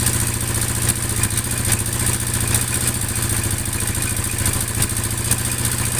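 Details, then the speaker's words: Yamaha Mio Sporty scooter at idle, rough dry rapid metallic ticking from the cylinder head, indicating oil running out or low; valvetrain clatter from oil starvation, before teardown. "unit Mio Sporty Mio Sporty suara kasar di bagian head atau kop indikasi kehabisan oli atau kekurangan oli"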